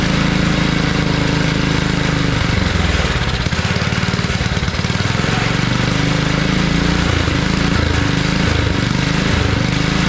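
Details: Abandoned tiller, first run on two-cycle gas while leaking fuel: uneven chugging with speed sagging and surging. It runs and revs only on choke, a sign of a clogged carburetor needing cleaning.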